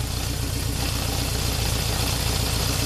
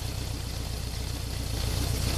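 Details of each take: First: 1978 Honda CB750K four-cylinder at idle after carburetor sync with homemade manometer, settled and stabilized; smooth, even idle with steady beat, no misses or hunting. Normal idle. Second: 1978 Honda CB750K warm four-cylinder idle during carb sync with a homemade manometer: a lumpy, uneven pulse with a slight beat, as the cylinder 1 reading keeps dropping; the carbs are out of sync.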